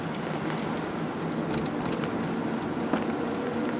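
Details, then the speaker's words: Toyota Prius 2 cruising in electric mode under 49 km/h: quiet steady road hum with no engine sound, slightly louder tyre rolling noise from winter tyres on the front. "on entend pas grand chose un petit bruit de roulement j'ai les pneus hiver à l'avant ça fait un peu plus de bruit que d'habitude"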